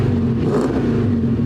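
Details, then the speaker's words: 2018 Dodge Charger Pursuit V8 with new exhaust (stock cats, Flowmaster resonators), revving after warm-up: deep even rumble swelling with throttle, throatier but not too loud; clean, healthy. "Oh, man. That's what I'm talking about. Dang. That sounds good, dude. It does. It's not like super crazy, but it sounds just right."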